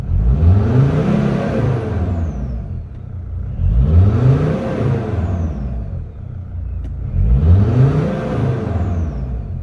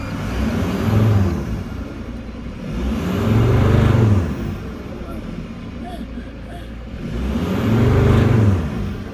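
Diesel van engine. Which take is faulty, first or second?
second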